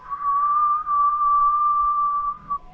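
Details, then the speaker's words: Passive house blower door test, pushing a door closed raises building pressure and fan adjusts: steady high whistle holding one pitch over two seconds as air forces through envelope gaps; air leakage. "just pushing this door closed causes the pressure in the building to really rise fast and the fan to make an adjustment and you can hear the building going whistling"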